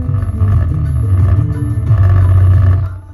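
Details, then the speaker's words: Mazda 3 Bose front door speakers, bass turned up: deep bass notes come with a buzzy, loose rattle on each low hit from the right speaker, which is blown. The left one also sounds poor. "let's check the right speaker yeah that's got a bad rattle in it so we know the right one's bad left one doesn't sound that great either either let's turn the base up"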